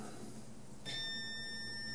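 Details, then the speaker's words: Multimeter set to continuity on a scratchy M-Audio BX8 D2 tweeter: faint steady high beep switches on and holds, showing continuity; coil passes but still scratchy. "I have my voltmeter set to continuity and it makes a sound. And so there's my sound. So there, I'm getting continuity."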